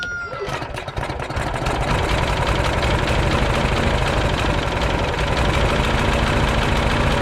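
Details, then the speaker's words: Troy Bilt front-wheel-drive mulching mower, old Briggs & Stratton Quantum Power 4 HP engine, after carburetor overhaul for gas leak and no-start. Catches on a partial first pull, then settles into a steady, even run with a firm low beat: normal start and idle. "I didn't even give it a full pull and it started right up. So this engine starts right up. There's no problem with it."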